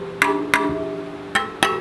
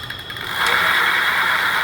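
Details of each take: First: Rad City e-bike spokes plucked during assembly: five pings, some clearly lower than others. Spoke tension is uneven, so the spokes, including the back wheel, need retightening with a spoke tightener. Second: Rad City e-bike with the rear wheel lifted, a little throttle given: a smooth, steady whir with a faint high tone from the rear hub motor, no grinding or knocking. Normal motor run.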